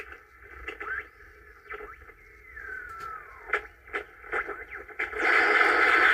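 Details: 1950s Angell 6-transistor AM radio, first power-up after resoldering and fitting batteries: crackly static with a whistle sliding down in pitch and bursts fading in and out. The owner suspects bad capacitors or the antenna; not confirmed.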